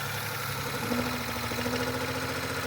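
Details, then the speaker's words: Same engine after priming the fuel pump and restarting, still misfiring, with knocking suspected from a lifter: uneven idle beat with stumbles and a light knock on top. Engine misfire at idle, cause not pinned down. "Son of a bitch! That thing's still misfiring. For sure."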